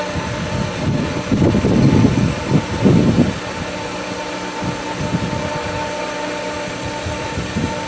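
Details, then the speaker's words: Pool pump at season opening, skimmer valve opened slightly after winterizing left air in the lines. Steady hum broken by bursts of gurgling churn rising and fading; pump keeps sucking more air, at risk of losing prime. "But as it sucks more, it's going to suck more air. You can hear it churn."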